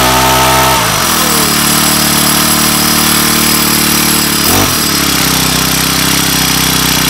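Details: Weathered 29cc four-stroke Craftsman Speed Start curved-shaft trimmer with convertible leaf blower attachment, first cold start with makeshift air filter cover: buzzes at a steady, smooth idle and recovers cleanly from a brief dip, no misses or rattles; runs well.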